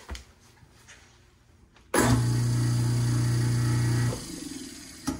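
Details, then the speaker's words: Garbage disposal that wasn't spinning/humming after years unused, repaired and reinstalled: clean steady low hum about two seconds then smooth spin-down, no leaks; normal running. "nice okay now we're good to go everything's back in business no leaks and we have a disposal that's working properly"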